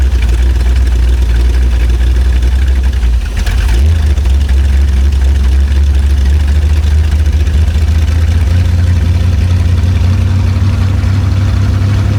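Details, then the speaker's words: Abandoned, unfinished Chevrolet C10 project V8 being test-started to check if the engine is sound, no exhaust fitted; loud, raw, steady rumble with one small throttle blip; runs strong. "That thing actually sounds really good."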